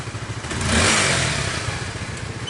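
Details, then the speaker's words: 2017 Honda Sonic after repair of a rough ticking noise traced to the cam chain tensioner: quick throttle blip rises and falls cleanly, no ticking or rattle; running smoothly again after repair. "Jadi untuk CS1 nya udah kelar dan alhamdulillah udah halus, udah kembali halus."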